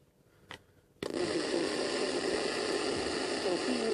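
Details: Roberts Revival R250 radio, mid-90s: harsh, smeared, crackly roar where voice should be; audio amplifier chip blown by a reverse-polarity power adaptor, fixed by replacing chip and capacitor.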